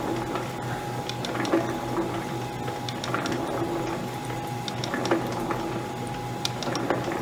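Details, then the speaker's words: Vintage Lewis metal shaper running, feed about 4–6 thousandths per cycle, seemingly feeding further on the back stroke: steady hum with light clicking that comes unevenly and sometimes drops out; the feed ratchet pawl intermittently misses and doesn't catch. "Oh, no, it's not catching. It's missing every once in a while."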